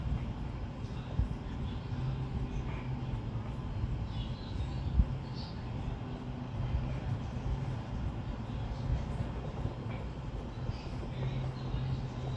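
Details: LG 8,000 BTU room air conditioner on its highest fan speed with the compressor kicked on: a steady low hum and constant compressor buzz under an even fan rush; running normally.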